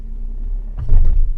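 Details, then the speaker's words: 15-year-old Audi A4 with 83,000 km, on-road test: low cabin rumble, then a dull thump and short knocking on light brake taps, from cracked, worn lower control arm (big arm) rubber bushings. "In fact, the rubber sleeve of his big arm is just like this, stepping on the brake together."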